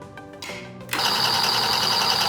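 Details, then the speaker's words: Niche Duo coffee grinder being zeroed after moving the bean hopper: motor spins up with a bright, hissy metallic scrape over the hum as the burrs just touch at the zero point. "if the Burrs sound like they are touching you are close to zeroing the Burrs"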